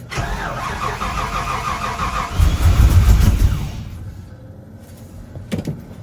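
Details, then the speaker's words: Chevy square-body truck with a V8, started after sitting for years: fires and revs about three seconds, then dies abruptly because the VATS security is still active in the computer. Immobilizer cut-out stall. "So it does have, that's why it's stalling, because it has the security still on the computer."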